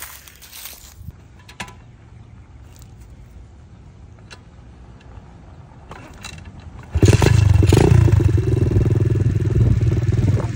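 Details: SSR125 single-cylinder pit bike, first test ride after rebuild (valve had been too tight), started in neutral, idle set slightly low: fires up and holds a strong steady beat, no misses; ridden up to third gear, runs well and quick. Normal running.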